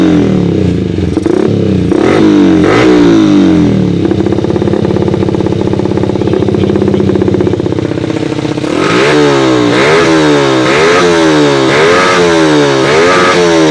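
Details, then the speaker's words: Yamaha Vixion single converted from failed fuel injection to carburettor with rewired wiring, after conversion: crisp revving rising and falling in repeated throttle blips with no stumbling between them; responds cleanly, normal running. "Oke jadi setelah sudah siap kita hidupkan enak seperti ini"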